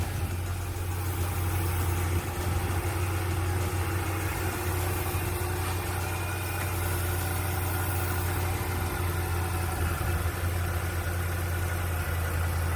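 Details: 39k-mile Dodge Charger SRT8, first start in over 2 years after a no-crank no-start, running on starting fluid: deep, steady, even idle with no knocking or tapping; a disconnected vacuum line to the intake is leaking; engine sounds healthy.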